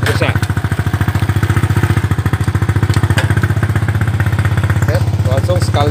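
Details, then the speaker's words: Honda Supra/Mocin-type single-cylinder motorcycle after fixing the faulty ignition coil (spool), which gave no spark: starts on the first kick or starter press and idles steadily and evenly, running cleanly. A few faint exhaust pops remain, carburetor still needs tuning. "sekali hengkol langsung hidup. Langsung sekali start langsung hidup. Tinggal menyetel di karbunya saja, ada letupan-letupan kecil di knalpot."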